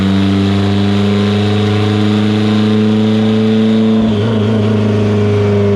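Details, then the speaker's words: Evo 8 on dyno, built 2.0, GTX3584RS, Haltech Elite 2500, after swap to Toyota Denso coils and retune: loud even note under load at 25 psi on 93 octane, no stutter or popping; clean pull. "After the coil change, we did make some passes and basically adjusted the fuel and timing and slightly boost. So he's making this power on 25 psi on 93 octane, and we're gonna switch fuels now."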